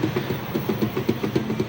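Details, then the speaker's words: Old Honda CR-V Gen 1 rear cargo spare-tire/jack compartment cover: light, rapid plastic tapping about seven times a second over low rumble; the cover wobbles and owner suspects it rattles on uneven roads. "Jadi bisa dibuka tapi ini ternyata bergoyang juga ya. Jadi membunyi menghasilkan suara juga kalau kalau kalau misalkan ini kalau dikunci"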